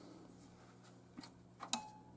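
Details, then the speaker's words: 1977 Stern Stingray pinball machine after extreme corrosion repair and PCB work: a single sharp click among faint ticks over a low steady hum as the relay pulls in at game start; credits registered and scoring, though no sounds play yet. "It clicked. I did hear a click. We have 4 credits."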